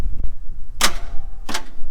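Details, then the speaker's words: Jeep Wagoneer whose bought-in built engine died on the road after a noise from the passenger side low down: two heavy clunks with no cranking. The starter engages the flywheel but the engine is locked up. "That is to me the starter coming out engaging with the flywheel trying to turn it and it's not turning. It's just locked up."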